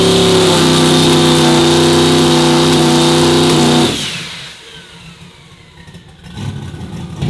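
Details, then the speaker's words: Turbo Nova on fresh spark plugs, held on the transbrake; steady drone suddenly falls flat after four seconds as fuel pressure dropped below the 35 PSI safety and pulled timing; safety threshold to be raised: engine stumble from fuel pressure safety timing cut. "I think that's all it was I think it was just the safety because you could hear it when I and then I could when I was watching the RPM and the fuel pressure at the same time that's what it was doing it was hitting that safety taking more timi"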